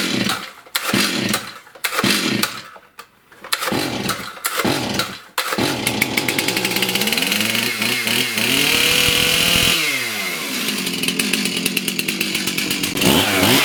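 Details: Stihl MS291 chainsaw after fixing no-power, won't-rev problem, cleaned screen refitted and fresh premixed fuel replacing likely over-oiled mix: sharp pulls, then it rings out clean and rises and falls smoothly with the throttle; running healthy.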